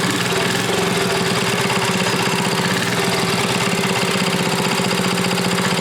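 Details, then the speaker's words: Briggs & Stratton Model 14 6HP flathead side-shaft engine, not yet rebuilt: a steady but uneven single-cylinder chuff at fast idle with a loose, flat beat. It smokes badly and lacks good compression. Finding: low compression with oil burning. "okay that runs give that smokes pretty bad I figured it would be you don't have the real good compression either really"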